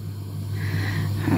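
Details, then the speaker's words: Household heating boiler inside a cupboard, running on heating: steady low mains-pitch hum with faint overtones; normal harmless drone. "а когда работает отопление он вот так вот гудит и на видео это конечно слышно"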